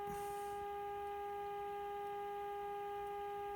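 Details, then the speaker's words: 1951 RCA Victor Nipper II tube radio during repair, IF alignment: a steady, clean tone around 400 Hz with a slight buzz from the speaker. This is the modulated signal being peaked with a screwdriver. "I know that that's a very annoying sound but that's the sound of the modulated signal and we can adjust this"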